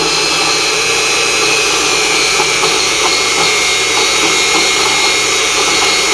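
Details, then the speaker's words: Unimat SL1000 lathe turning rebar with a 10° tool: steady high cutting whine with brief dips in motor speed every few tenths of a second; motor bogging as the tool hits hard slag inclusions. "Every time you hear that little bobble in the motor, it's hitting a piece of junk."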